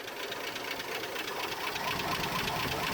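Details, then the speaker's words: 1976 Postal Jeep parked in the woods for years: sharp, uneven metallic knocking about twice a second over a rough-running engine; oil pressure reading nothing on the gauge, owner suspects oil problem; engine knocking, cause unconfirmed. "But given the sounds of the engine, you know, knocking like a Jehovah's Witness, I'm like, yeah, let's not run it anymore till we figure something out."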